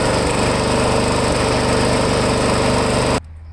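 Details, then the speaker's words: Lawn mower small engine, primer previously fixed, running before any Seafoam fuel additive is added; a steady high buzz with a slightly uneven rhythm, the engine surging or hunting at idle before it cuts off. "okay so i don't know if you heard it surging on the video but you know i went out and bought the can of the uh seafoam that you add into the gas tank"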